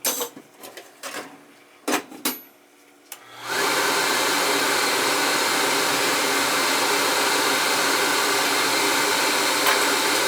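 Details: Riello oil burner after service with heads cleaned and good oil flow confirmed: a few clicks, then lights at about three and a half seconds into a steady, even roar with no pulsing or rumble; normal burner firing.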